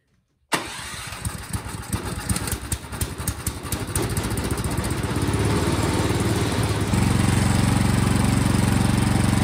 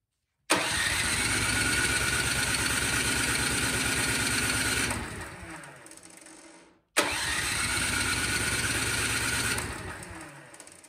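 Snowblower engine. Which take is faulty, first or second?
second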